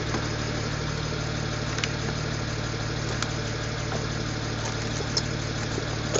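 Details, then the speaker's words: BMW N54 first start after installing index 12 injectors, after sitting over winter: even idle with light irregular ticks a few per second; owner suspects lifter tick until oil pressure builds, and feels a slight possible misfire. "think because it's been sitting for a while, that's just like lifter tick. Once it gets oil pressure, it'll be fine."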